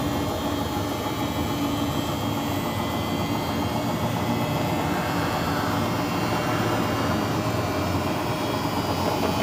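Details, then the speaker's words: Samsung front-loading washing machine after fitting new 6205J front drum bearing: drum still gives a steady deep rumbling roar, not from the bearing but because the shaft has become loose and the bearing's inner race doesn't turn with it. "nah dikarenakan tadi ada kesalahan waktu pemutaran itu masih tetap ngorok dan ngorok di sini bukan ngorok dari beringnya tapi dari as ini as Ini udah mulai longgar jadi untuk bearingnya dia e tidak ikut berputar"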